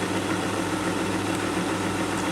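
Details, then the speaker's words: 1962 Sony TC-521 reel-to-reel: steady droning hum with rough rubbing edge while winding; hardened old rubber idler wheels rubbing against the motor cause the noise, absent in rewind. "so I think the reason it's making so much noise is these idler Wheels this old rubber is just hard as a rock and rubbing up against this uh motor it's just just making that noise"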